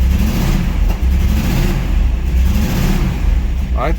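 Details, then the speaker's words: 1992 Trans Am V8, off the road for years, cold start: rough, lumpy idle with uneven, stumbling exhaust beat and black smoke; owner suspects fouled spark plugs or wrong firing order; large exhaust leak ahead of the catalytic converter; misfire. "it's literally running on three cylinders it sounds terrible"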